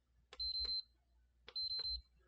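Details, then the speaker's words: PS5 Blu-ray drive, disc believed stuck: at power-on two short high beeps about a second apart with sharp clicks; later it made loud clicking and clunking. Disc drive fault beep. "all right so it's doing a beep i am going to attempt to put a disc in there"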